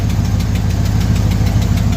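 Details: 1975 Ford F350 dually body on a 2004 Cadillac Escalade 6.0 liter AWD chassis, first start after sitting about two years on a boosted dead battery: steady V8 idle with a fast even ticking at firing rate; owner suspects an exhaust leak.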